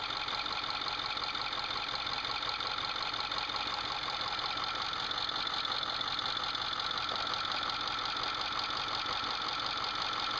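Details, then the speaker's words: 2008 Ford F450 6.4L Powerstroke diesel idling at operating temperature: sharp regular chirp about three times a second, loudest at the rear cylinders behind the turbos with valve covers off, unchanged by disabling injectors; rear camshaft lobe severely scored under roller lifter. "The rear camshaft lobe severely scorn, so every time the roller lifter"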